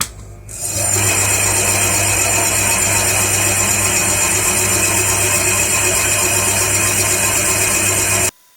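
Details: Small restored band saw running after fitting homemade bearing roller guides: a steady high whirring hiss from the blade and wheels, even and smooth with no knocking or rubbing. The blade runs true.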